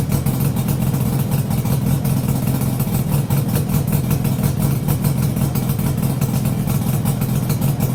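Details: Yamaha RD350YPVS F2 two-stroke after a full rebuild with bearings, seals and rebore, plugs retightened after the first run: a steady, even burble holds constant with no rattles or knocks, a quiet, healthy idle.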